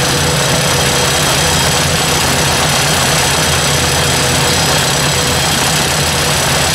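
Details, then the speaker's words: Ford 800 tractor idling with the valve cover refitted, oil pouring out: light, quick ticking over a steady idle, loudest toward the back of the valve cover. "so definitely something back in here is a lot louder it's testing and it's pretty quiet up here until we get to the back here cover's making noise but definitely something ticking"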